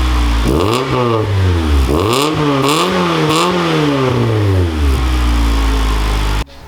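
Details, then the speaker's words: Honda Integra after fixing the rattling twin-loop muffler (hole previously patched with putty): engine starts and revs cleanly with a smooth deep exhaust, no rattle or buzz; normal exhaust note, functional muffler restored. "And there you have it, a functional muffler once again."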